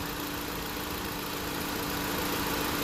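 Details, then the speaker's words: 2016 Honda Civic, R1234yf AC being recharged on the low side at idle, clutch just engaged and condenser fans on, pressure dropping: steady low hum with faint constant tone under even idle; compressor running smoothly. "So you hear that? It clicked on. The condenser fans are on. And the clutch kicked in."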